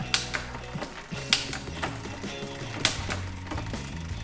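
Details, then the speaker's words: Bicycle 1x rear derailleur after indexing and cable tension adjustment: crisp single clicks about every 1.5 s over freewheel ticking as the chain drops down the cassette cleanly; shifting now sounds right. "it looks and sounds better all right so it is quite okay"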